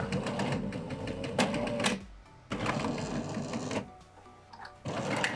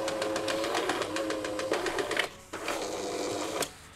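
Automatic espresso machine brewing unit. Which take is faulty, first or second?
first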